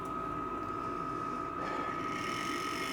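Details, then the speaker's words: Model railway locomotive on a shelf layout, just after its body was screwed back on: a steady high motor whir with a faint uneven rubbing tick from a cable vibrating against the body. Fix: pop the body back off and reseat the wire. "Sounds like I've got something catching. So there's probably, I've probably pushed a wire or something, and they just pop that back off."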